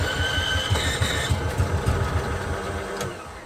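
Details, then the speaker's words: Onan generator, gas left in it about a year, hard starting: slow uneven cranking about three chuffs a second after priming, brief catch, then fades without running; carburetor cleaning planned. "well listen to that had a little uh had a little Trend it's trying to start let's try to Prime her a little bit more"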